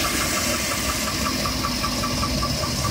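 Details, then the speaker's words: 2007 Chevrolet Avalanche V8 idling cold: steady light knock about five a second over the rumble, going away as it warms; suspected piston slap or carbon, slightly more muffled after decarbonization. Cause unconfirmed. "it definitely goes away once it's getting warmer"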